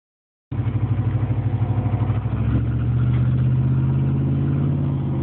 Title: Piston slap?